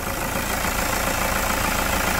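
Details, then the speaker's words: Toyota SW4 3.0 diesel, 2010, 187,000 km, after post-purchase service with intake decarbonization: steady, even idle with light regular clatter, no knocks or misses; running healthy. "vamos escutar juntos essa Melodia isso é um coral de anjos não é mesmo"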